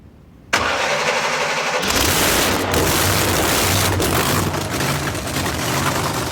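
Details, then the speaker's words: 4.9 screw-blown Hemi, fired up and put in park: rough, loud idle with an irregular metallic clinking from the engine, first suspected to be the torque converter; something internal is wrong, cause unclear. "Something's wrong. It's clinking up here in the motor. There's something wrong with this engine. I'm telling you that right now."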